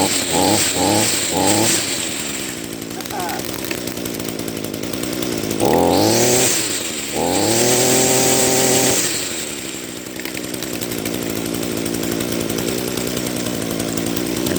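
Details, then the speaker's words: Echo SRM-210 two-stroke grass trimmer, first run after carburetor rebuild with Zama RB-188 kit: small engine barely ticking over, slow and uneven between throttle blips; idle speed set too low, idle screw needs turning up. "now I'm not sure if you noticed but my machine is running a little bit kind of funny because it's running the the idle kind of sounds like a"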